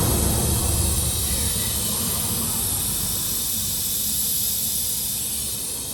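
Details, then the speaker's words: Semi-truck trailer tire punctured by a big piece of metal picked up on the highway; loud, steady rushing hiss with no break as air escapes fast through the puncture. "You might can hear the air from here. I'm gonna show you the damage here. And you can probably hear it right now."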